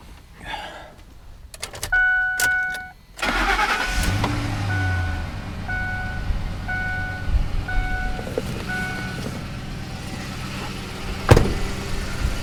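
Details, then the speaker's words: 2005 Ford F-150 3V Triton V8, salvage truck, after replacing coils with new Amazon coils: brief crank, catches and settles into smooth, even idle, no ticking or stumble; misfire fixed, runs perfectly. "perfect I don't hear any noise at all amazing what a set of clothes to do"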